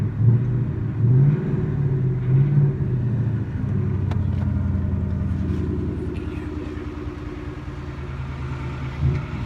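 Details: 2018 Ford Mustang petrol, rattle since first 1000 miles and growing louder: rough, uneven rattle over deep exhaust rumble when revving around 1,000-2,000 rpm; dealer called it normal, owner disagrees.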